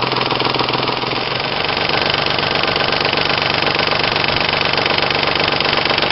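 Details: 1996 Ford Probe GT 2.5L 24V V6 idling: quick steady tick about four per second, light slapping from the engine front; owner suspects slack timing belt letting a pulley vibrate, to confirm after belt replacement.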